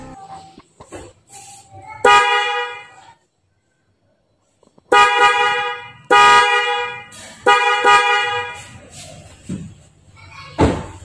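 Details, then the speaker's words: Daihatsu Rocky after fitting aftermarket Denso snail horns in place of the single stock horn, tested with the hood closed: loud, clear two-tone blasts, short and long, still as loud as with the hood open; horns work properly. "Oke teman-teman, ternyata masih sama, yaitu keras ya teman-teman."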